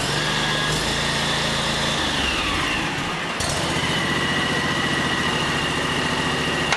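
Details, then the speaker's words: John Deere X729 yard tractor snow blower attachment, started after refitting the chain drive and PTO to check the augers. Engine note drops and labors with an uneven clatter. Auger drive jammed and locked up. "well that wasn't good what the heck is locked up"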